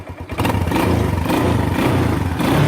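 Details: Bayou ATV single-cylinder after replacing rotten muffler with a used Kawasaki 300 muffler: short starting clatter, then even, rising revs with no exhaust rasp or leak. Normal exhaust note when revving.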